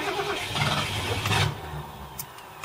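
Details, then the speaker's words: 1978 Ford LTD on LPG, restart after sitting 30 seconds, gas turned off, battery suspected weak: starter turns the engine over at an even, steady pace for over a second without catching; normal starter cranking. "Yeah, the starter motor seems to be alright now. It's just the battery, I think. Just turn off the gas. Just crank it a bit. Starter sounds alright."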